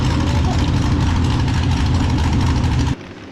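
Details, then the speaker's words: Mini rod pulling tractor at a blacktop pull: heavy, choppy idle stumbling irregularly for three seconds then cutting off abruptly; persistent misfire all season, cause not found despite several attempted fixes. "And, that's very frustrating when you're chasing a miss."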